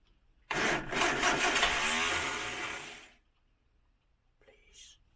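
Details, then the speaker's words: 1968 Morris Minor 1000, first start of 2023 after sitting, cold weather: sluggish labouring cranking that stops without catching; both batteries appear low. "so apparently both that battery and that battery seems a bit low"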